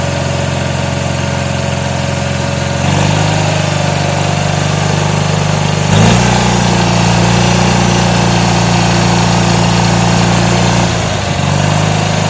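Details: Garden tractor with a Magnum engine, 50-inch deck and power steering, after a cold start: even single-cylinder thump that steps up in speed twice, then holds steady with no knocks or misfires. Normal idle.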